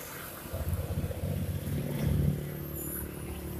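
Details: Honda Beat scooter after replacing a broken part inside the CVT that caused shudder on initial throttle; quiet, low, even putter at idle with slight rise and settle, no judder or rattle; sounds healthy.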